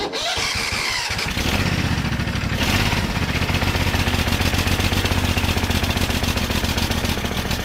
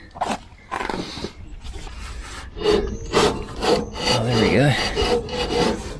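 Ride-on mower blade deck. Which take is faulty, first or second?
second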